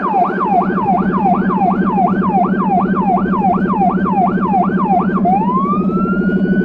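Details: Small emergency car in Budapest with a Federal Signal Rumbler (180–360 Hz) beside the high-pitch siren, recorded from inside, where it sounds softer. A rising-falling wail at about 80 cycles a minute shifts to a long climbing tone over a deep rumble: both working.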